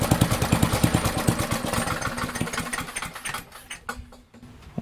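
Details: Barn-find Murray push mower, Briggs & Stratton engine, on the shop bench after drill cranking: fast, hard-revving bark for about three seconds, then the beat slows and fades. Overspeed from a wrong governor spring; fix is unwinding the spring to lengthen it.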